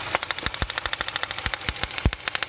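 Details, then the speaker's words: Idling engine with a plug wire pulled; sharp dry snapping crackles, several a second, over a quiet idle as the wire sparks across to ground when approached; spark plug wire arcing. "If I get close, I mean it's sparking. It's doing something. It's doing what it should be doing."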